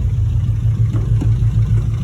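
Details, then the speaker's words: Mitsubishi EVO 4 at 167,000 km, first drive, oil pressure light on, some oil present: lumpy, clunky idle with uneven clattery pulse and faint knocks; owner finds motor knocky, cause not pinned down. "I don't like how clunky it is especially when you're ever [Music] sounds very clunky [Music] like that"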